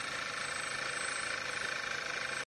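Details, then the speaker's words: Skoda Octavia running rough, codes P0299, P0507, P2279, P0171: loud, steady hiss with a thin high whistle over a faint engine pulse, clearly audible at the exhaust; the oil cap gets sucked in, a vacuum leak at the faulty PCV valve. "lautes Zischen oder Pfeifen, das nicht umsonst stattfindet."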